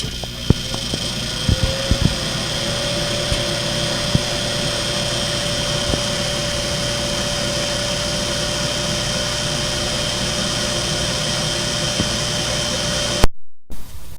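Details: Bathroom exhaust fan, previously buzzing, after repair: spins up with a few clicks, then settles into a steady, even hum with a constant tone. It runs smooth.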